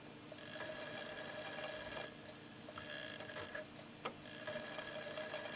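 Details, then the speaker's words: Sega Saturn after cleaning, disc spins freely: repeated spin-up whirs with faint ticking seeks, never settling to steady reading, ending in disc not suitable; weak laser needs adjusting; optical drive read failure from weak laser. "still having a bit of trouble reading it and in fact just sitting at the very guy should say disk not suitable for this system well once it gets to the point where it gives up"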